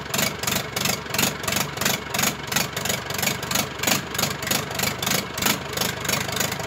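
Even, regular diesel chug at low idle, pulses steady and evenly spaced with no knocks or misses; it's running sweetly.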